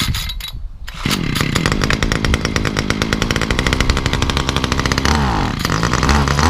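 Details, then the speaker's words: Titan multi-tool hedge cutter two-stroke, cold start after priming: catches and runs but revs sag and stumble whenever throttle opens, same cold or warm; bogging under throttle from faulty carburettor, replacement carb planned. "So that's what it's doing. As soon as you try to give it the beans, it don't want to know. And it don't really want to know whether it's cold start, warm start, halfway, or anywhere."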